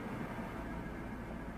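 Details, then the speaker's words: 2004 Chevy Tahoe V8 with code P0300, brake torque test in drive: rumbles low and uneven with irregular stumbles, a misfire under load suspected from spark arcing. "I don't even know if you can see that, but we got misfire right there. You hear it? Okay, we still got misfire. And you can actually hear it."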